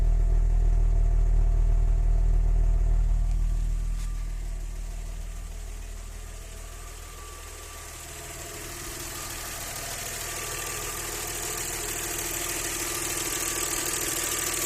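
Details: Audi 100 C4 2.6 engine at idle with a steady, even knock, about three to four per second, over a low rumble; owner asks what is knocking, source not pinned down.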